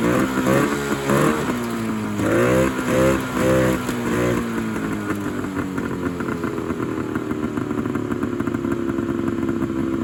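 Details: 1971 Polaris Charger 398 two-stroke snowmobile, sitting for years, fed mixed gas by squirt bottle through the air horns; crisp blips rising and falling with each throttle stab, then a steady, even buzzing run; fires cleanly.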